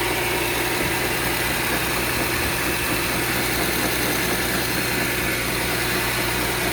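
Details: VW Touareg 3.6 FSI idling cold, dull uneven ticking knock about a beat a second over the hum; cold-start engine knock, cause unknown.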